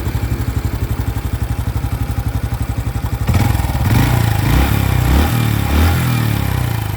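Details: New 2025 Honda Biz single-cylinder engine shows a new noise after being accelerated to under 70 km/h: light metallic clatter at idle, about 100 beats a minute, continuing as revs rise; source undetermined.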